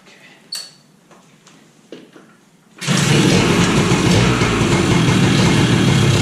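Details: 2001 Kawasaki KE100 two-stroke, cold start with little or no choke after carburetor rebuild and new needle, AGM battery: engine catches and settles into a busy even idle that climbs as it warms; normal two-stroke idle, idle to be set lower when warm.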